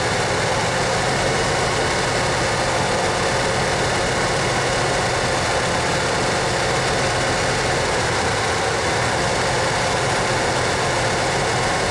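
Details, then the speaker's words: 1987 Ford F-150 inline-six on a very cold morning, still idling rough after a full warm-up; a steady but slightly uneven, wavering beat under a hiss during an engine-running computer code scan. Cause not yet found. "as you can probably hear it's running a little rough that's why i'm doing this"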